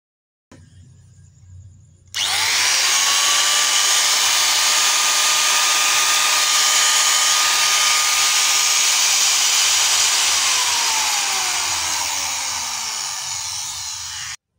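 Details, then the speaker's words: Electric hand angle grinder after repair: the worn, loose bearing that had caused heavy vibration and loud noise was replaced, and the motor nut was tightened crosswise. Now a smooth, steady high whine that spins up quickly and winds down evenly, with no wobble or rattle; normal running. "itu dia tadi Lur setelah kita coba ternyata hasilnya sudah tidak getar suara pun sudah enak kembali Lur jadi kendalanya hanya ada di klaker ini Lur nah dia sudah kocak sehingga mengakibatkan getaran pada kinda"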